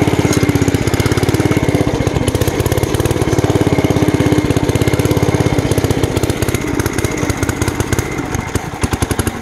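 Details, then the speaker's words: Bolens Ridemaster garden tractor discing, first use in a long time and with flat tires: loud, choppy exhaust beat with uneven firing and a stumbling rhythm. The engine is running rough. "like I said it's not running well you can hear that there we go"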